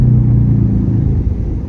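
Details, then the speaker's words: Suzuki Ertiga rolling at 20–60 km/h, louder above 40 km/h: deep steady droning rumble heard in the cabin, louder than the engine and persisting with the engine off; suspected worn left wheel bearing. "suaranya nyaring melebihi dari suara mesin yang kita hidupkan lagi ya Brian kita dengar lagi sepertinya dari bearing roda sebelah kiri nih nanti kita cek Saya rasa ini bearing roda"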